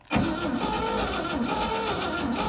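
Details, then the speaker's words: 1960 Grumman Olson van pulled from a field, oil checked, cranked via remote starter switch: starter spins the engine at a steady even rhythm with no binding or knocking; turns over freely, not seized. "motor turns over [Music] motor turns over doesn't sound bad at least it's not locked up"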